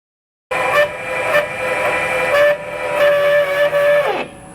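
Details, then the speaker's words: Airstream trailer tongue jack after wiping the old grease and spraying silicone: a steady high squeal over the jack motor while raising, dropping in pitch as it winds down; the squeal persists despite lubrication and its source is not pinned down. "See, that doesn't sound good. [Music] It actually sounds like the noise is coming from here, though. And I've already lubricated everything in there."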